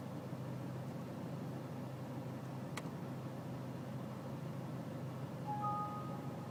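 Low, steady diesel idle with a faintly uneven beat underneath and a quiet background; rough idle, cause not pinned down.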